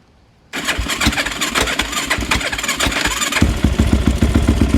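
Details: Yamaha YFZ450 quad rebuilt with a 480cc big bore kit after a blown head gasket, rolled outside and restarted: after a quiet moment the single catches at once and settles into a steady, even idle with regular firing; healthy start.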